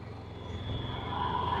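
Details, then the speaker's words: Honda EU7000iS (389 cc GX390 EFI) vs carbureted Yamaha EF6300iSED generators, each on 32 oz fuel under 1000 W load; at 45 minutes the engine note climbs and swells, hunting, both surging from fuel starvation before the Yamaha shuts off at 46:45. "yamaha's surging at 45 minutes the Yamaha is surging at 45 minutes guys something's happening still putting out power they're both surging"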